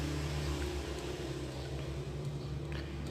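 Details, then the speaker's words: Yamaha Vixion motorcycle single idling low and rough with a faint uneven tapping, vibrating at mid-to-high rpm; worn connecting rod knock linked to low oil, with scored liner. "stasioner itu ada ya ada suaranya tak kata-kata kata-kata kata gitu Tapi nggak separah kalau saya kena kena ya"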